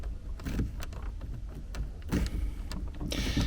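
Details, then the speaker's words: 2019 Skoda Kodiaq 1.4 TSI after disassembly and refitting of the squeaking passenger door grab handle: squeezing it gives only soft taps and rustles, essentially no squeak, unlike the untreated rear handle. "тут пытаюсь сжать еле-еле какой-то звук то есть можно сказать звука нет"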